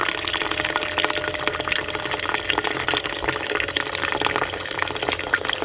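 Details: Rover SD1 3500 Vanden Plas, being revived after about 10 years: fuel pump primed via power probe, fuel splashing steadily into a container over a faint even hum; earlier trouble probably from the probe connection; pump delivering normally.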